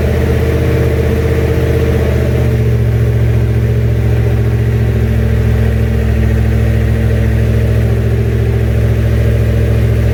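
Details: Junkyard 351W turbo V8 in a 1967 Mustang, first fire-up, exhaust exiting off the fender; loud deep burble, fairly steady with uneven lumpy beat, rough untuned running, definitely needs a tune.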